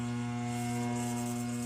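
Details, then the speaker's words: Electric fan that energizes but cannot turn: steady low electrical hum with no blade whoosh building up; motor stalled, worn bushing is the usual cause, fix is replacing the bushing. "Pag ganito naman ang sakit ng electric fan, iisa lang naman ang ano yung pulot niya agad ng sakit niyan. Busing ulit. Yan, kalimitan sa sakit ng electric fan, palit busing."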